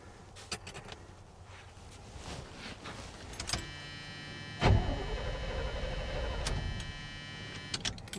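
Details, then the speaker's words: 1978/79 Chevy K20 4WD with a V8 and automatic, sat about 15 years. Keys rattle, then the starter cranks the engine for about three seconds without firing, because the distributor wire is disconnected so the key can't start it. Crank, no start. "key works cranks it. I do need to hook the wire back up to the distributor so that the key will start the truck. Currently the key's not going to start the truck."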